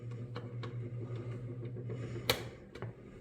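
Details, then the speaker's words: Table fan that would not start and screeched when stopping, after lubricating the motor bearing: steady low motor hum with faint light ticking and no screech; the fan spins up and runs smoothly. "now okay so this is started working and also before I put the lubrication when the fan came to Halt it was making a screeching sound"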